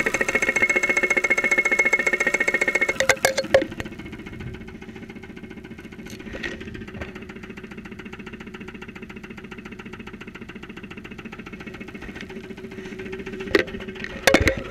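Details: 2001 Saturn SL2 at idle, stethoscope microphone close up, after being run with very low oil; not run for two months, oil pressure about 35-40 psi at idle. Even tapping over a quiet background; internal knock from oil starvation suspected.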